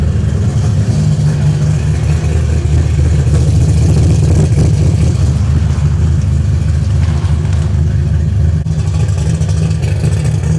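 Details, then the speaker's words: Ice-cold start around 50°F of a V8 with an ACES fuel injection kit, cold-start not yet tuned: deep even lope, slightly choppy idle, no knocks or ticks; ignition advance at 18 degrees, sounds healthy. "here's a true cold start this thing is ice cold let's see I may have to give it some throttle cuz like I said we've not tuned this part yet"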